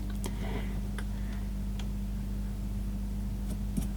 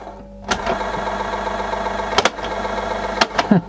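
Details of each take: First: Panasonic/National RX-CW26 boombox cassette deck after the repair: only a soft, steady motor hum, with the scraping gone now that the pulley no longer rubs against the capstan. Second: Panasonic/National RX-CW26 boombox cassette deck before the repair: the motor runs with a raspy scraping drone and handling clicks, apparently from scraping on the capstan. One motor probably drives both decks by a belt.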